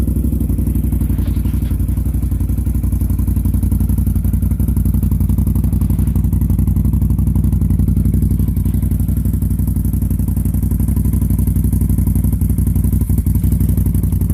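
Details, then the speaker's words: Can-Am Outlander 650 XMR with MBRP muffler freshly repacked with MBRP kit (earlier louder and rattling, universal packing failed): steady, even thumping idle exhaust, no rattle or blowing leak, little different from the aftermarket packing. "not a whole lot of difference in the sound of the other one with the aftermarket packing i put in"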